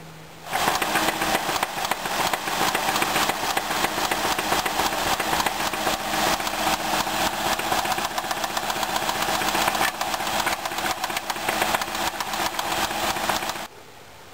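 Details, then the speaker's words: 2003 Ford Escape 3.0 Duratec V6 with about 130k that started knocking unexpectedly: a loud, hard metallic knock at about four blows per second. The computer logged misfires on three of six cylinders, and metal was found in the oil pickup and pan. "okay so as you can hear from the clip this engine wasn't doing so great it had developed a very bad knock um the computer was also logging misfires on three of the six cylinders"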